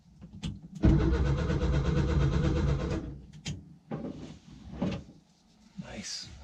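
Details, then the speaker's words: 1966 VW Westfalia split-window bus sat over 30 years, first start attempt, cylinders pre-oiled, newly wired ignition switch: steady, even cranking pulses about two seconds, never catches; owner thinks no spark. Cranking no-start. "I don't think she's getting I don't think she's sparking"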